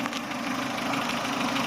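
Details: Chevrolet Aveo after sealing the pipe with epoxy (code P0507, high idle surging): even, steady idle with no hunting or surging; engine light gone, normal idle.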